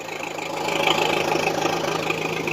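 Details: 480 diesel idling after cleaning corroded battery terminals: a steady, even fast clatter with no misses or stumbles, running smoothly.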